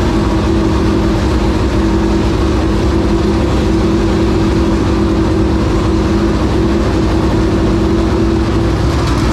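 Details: 465 cubic-inch V8 race engine, first start in three years and after getting improved fuel pressure: a strong, steady roar at an even pitch with no misses or surging; normal running.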